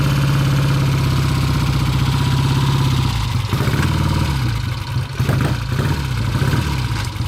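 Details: 1966 Triumph Bonneville T120 650cc twin, cold engine started after opening petcock and tickling both carburettors; steady, even twin beat with light throttle blips, no knocks or rattles. Normal cold start and idle.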